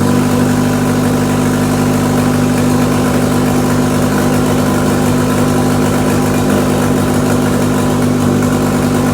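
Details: RWD-converted Mk2 Scirocco with a 1.8 20v turbo engine, first start, proper downpipe not yet fitted: steady, even idle with a smooth low drone and no knocking or grinding as gears up to third are selected. Normal idle.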